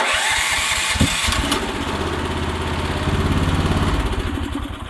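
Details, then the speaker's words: Predator 420cc gas engine in a mini excavator, just after installing a new starter with a new 4-gauge cable, voltage regulator wire not yet reconnected: brief crank, catches about one second in, then a steady even single-cylinder idle; starts cleanly. "But it starts right up, maybe."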